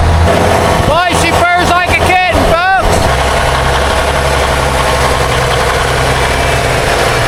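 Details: 1962 Kenworth W925, Cummins Big Cam diesel, sat 18 years, after the fuel lines were replaced and the filter topped off. Brief cranking, then it catches and settles into a steady, even low rumble, starting and idling cleanly on its own tank.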